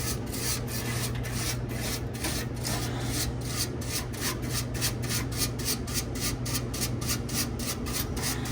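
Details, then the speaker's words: 100-pound ice machine, reported squeaking: a rhythmic rubbing squeak about three times a second over steady fan hum near the condenser fan; technician suspects loose metal rather than the fan motor, unconfirmed. "I gotta narrow it down I can't tell if it's I don't think it's the actual fan motor I think it's something in the metal over here wiggling wiggle waggle maybe"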